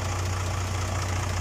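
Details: Isuzu Forward truck, 6H1 diesel, after the starter was removed and its solenoid contact points serviced to fix click-only no-start: it starts first crank and idles with a deep, steady, even rumble and no misses or knocks.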